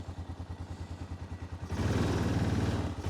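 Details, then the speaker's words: Warm 2005 Honda Rincon 650 ATV, 1,386 miles and 300 hours, low on fuel: idles perfectly, but at full throttle the note rises only slightly and flattens, no power, about 15 mph top speed; torn carburetor diaphragm, replaced. "Takes off fairly good, but that's all we got for power. That's full throttle. So obviously something's not right here."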